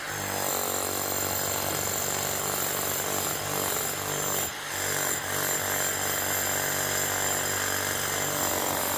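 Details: Bosch GSH 5 CE demolition hammer, under a year old, after a warranty repair with a new motor following catastrophic gearbox failure: rapid, even hammering at about four blows per second with a steady motor whine and no grinding; normal hammer action.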